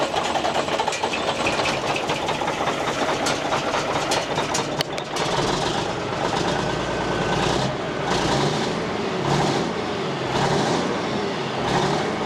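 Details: 1989 Marmon truck diesel being returned to service: catches and settles into a loud, steady clattering idle with a few revs; runs evenly with no miss or knock, holds air pressure, with much water in the exhaust.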